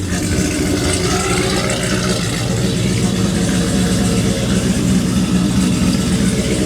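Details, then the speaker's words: Ram drag truck (9-second) with newly installed TorqStorm supercharger TorqStack, idling. Steady, lumpy V8 idle with a thin, high blower whine on top. Normal supercharged idle. "We're gonna let it sit here and idle for a minute so you guys can listen to the beast run."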